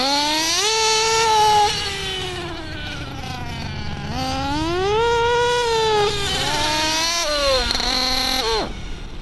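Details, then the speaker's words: RC nitro engine tuned lean on the high-speed needle: a shrill, buzzy, high-pitched sound revs up and down with little to no smoke, then cuts out abruptly, as a lean engine may quit suddenly. "a leanly tuned engine will tend to have a high-pitched sound with little to no smoke and may quit suddenly."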